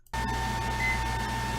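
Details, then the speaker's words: HP 1200 W server power supply mining Ethereum under heavy load: steady whine over low fan rush with beeps in the background; power supply fan spinning loudly, normal. "you might hear an extra whining noise which is the HP 1200 power supply spinning and they are pretty loud in general on these HP's when you first start them up on a server"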